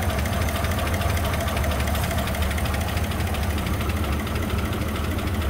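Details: 2004 Chevy Silverado 5.3 V8, 225,000 miles, towed in after dying while driving; idles roughly with fast uneven valvetrain tapping, no oil pressure, oil like mud, blowing blue smoke; tapping from oil starvation, engine likely done.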